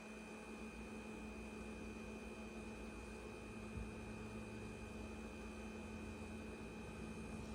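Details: Ca'Lefort 15-inch wine cooler refrigerator, after install: steady low buzz with thin high whine on top, unchanging, far louder than other household appliances.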